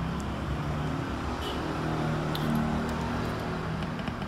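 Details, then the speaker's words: Active speaker with no sound, 12-inch woofer tested with test signal: steady low growl with uneven pulse comes through cleanly, woofer works; fault found in amplifier IC input protection. "Oke, ada suara grok grok grok grok grok. Artinya speaker hidup."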